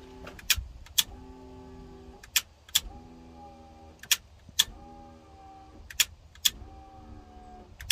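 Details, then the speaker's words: Bush truck with clogged filler neck vent, fuel pump priming before start: humming pump buzzes in short bursts between sharp clicks and settles as pressure builds; priming normally. "okay the pump sounds good now here we go now she's building some pressure"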